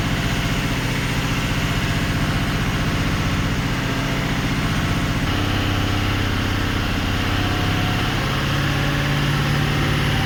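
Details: 2004 Ford 6.0L Powerstroke diesel, earlier crank-no-start and lost injector bank, after repairing and splicing damaged wiring: even steady idle, slight note change, no stumbling or missing; symptoms gone.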